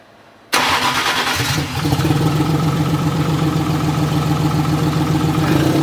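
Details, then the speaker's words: BMW E81 drift car with M50-based engine on an RM Primis standalone ECU at first start on base settings; cranks and catches, then runs uneven and lumpy with a stumbling beat because injector settings haven't been set yet. ">> ja kävi se kaikilla vaan ihan paskasti [naurua]"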